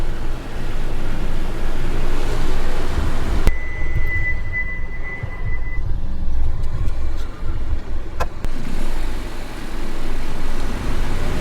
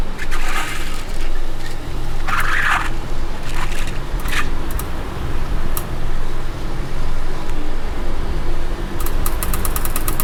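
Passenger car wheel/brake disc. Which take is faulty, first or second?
second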